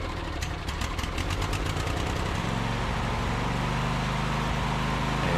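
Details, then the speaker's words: Briggs & Stratton V-twin on a Husqvarna 22V46 mower after camshaft (compression release) replacement, started with a little starting fluid: catches after a brief crank, then a steady, even low thrum with no knocks or misses; runs healthy. "And you see there, it fires right up with a little bit of starting fluid. And it runs good. It sounds good."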